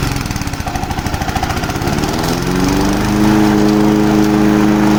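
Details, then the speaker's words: Low-hour Honda HR215 lawn mower, first run after being unseized with kerosene and oil in the cylinder. Catches with rapid uneven firing, then settles into a steady run. Heavy smoke, possibly residual oil, though a rebuild is suspected. "so it's definitely smoky that could still be oil and diesel in that that the muffler but i doubt it how much it's smoking probably will need a rebuild"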